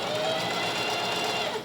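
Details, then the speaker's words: Singer 4423 heavy-duty domestic sewing machine, pedal depressed, running at steady speed: smooth, even whirr with a light mechanical hum and no knocking; running fine, though a slight hand-wheel squeak suggests it may want oil. "So, there's no knocking, noticeable knocking sound there either."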